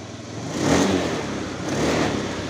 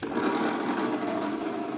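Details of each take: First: Honda Moove scooter after the fuel pump was replaced to cure stumbling, bogging and hard starting; kick-started because the battery was weak after long storage: steady idle, and two throttle blips rise and fall cleanly with no bog. This is normal revving. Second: Honda Moove scooter that stumbles, hesitates and is hard to start after being parked; steady starter whir cranking without catching, even with a recently charged battery; kick start also fails.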